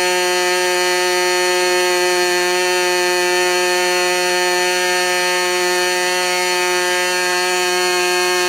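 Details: Modified Clarence Lee K&B .61 glow engine test run just after overhaul: high, steady buzzing note holding dead even, no misses or surging; normal running.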